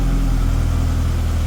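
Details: Tennant M20 sweeper, Vortec 1600 engine, the day after a head gasket replacement with coolant and oil levels unchanged and nothing burning: a smooth, even idle with a steady low drone and no misses, knocks or ticks, so the engine is healthy.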